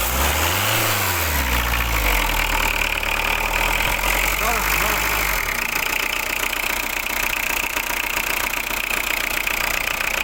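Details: Diesel car that the owner says always starts with difficulty: catches after a labored start, then runs with a harsh, loud clatter at idle. Rough diesel running; cause unclear.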